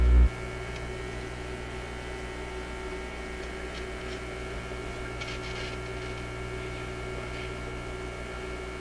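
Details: Zenith Y825 vacuum tube AM/FM radio on almost 120 V restricted power, previously working fine before six months on a shelf: steady low mains hum at constant pitch leaking into the audio, source not yet traced.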